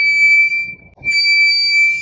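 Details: 2025-2026 Tesla Model Y Juniper (Giga Berlin build) front brake rotor squeal in the morning: piercing steady high-pitched squeal that drops out briefly and returns; Service Bulletin SB-26-33-002 blames front rotors, replaced under 50,000 km.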